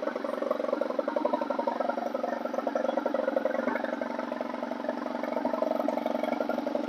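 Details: Stihl 4180-series four-cycle 4-Mix trimmer engine after confirming good hot spark from the ignition coil and fitting a new CMR6H plug: a steady, even buzzing idle with a quick regular beat and no misses or stumbles. Runs healthy.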